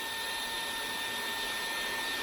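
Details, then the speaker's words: DeWalt small belt-clip cordless vacuum runs with a steady, even high-pitched rushing and a faint fixed tone. The usual back-pressure whistle is absent; it runs normally with good suction. "not really doing it here, which is nice. It's definitely got some good suction."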